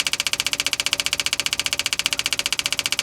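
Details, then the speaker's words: 1966 Chevrolet Impala SS parked over 10 years, pump trying to pull fuel from tank; even cranking without catching, cranks but no start; owner suspects no gas in the tank. "you think you would have got something by now nothing um normally we would have pulled something from the fuel tank by this point guys I don't think she's got any gas in there at all"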